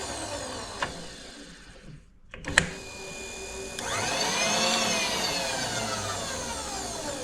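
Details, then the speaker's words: Precision Matthews PM-25MV mill, new X-axis power feed: quiet slow feed, then clean motor whine climbing smoothly when rapid switch engaged; no grinding or stutter, rapid traverse works properly. "the rapid switch works really nice let's uh I'll show you that so if it's going slow works really well"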